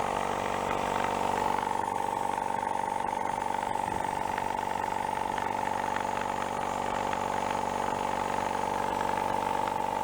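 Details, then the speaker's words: Used factory air compressor after repairing a bad rod knock with spare parts: steady even pumping at about four strokes a second, smooth hum, no knocking, no smoke or oil pushing out the breather; running healthy. "I think it likes that much better. Not even smoking. Not pushing oil out the breather anymore neither."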